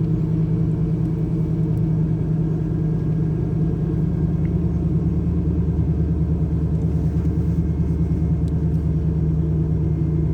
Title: Camaro IROC Z Rough Idle and Stalling When Warm